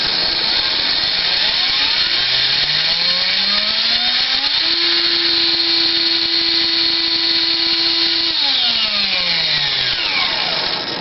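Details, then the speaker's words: Axial XR10 rock crawler rear axle running a Hot Racing big-bearing gearbox, installed because the stock small bearings kept blowing out; motor whine rises, holds and falls smoothly with no clicking or grinding; quiet, normal gearbox. "you can hear how quiet it is it's actually pretty quiet i think this camera has pretty good sound so that's pretty quiet"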